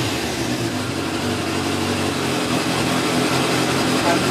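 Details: Motorcycle engine started on choke, then running off choke and revving freely without stalling after carburettor pilot jets were cleaned with hypodermic needles; steady even note, picking up slightly, running clean.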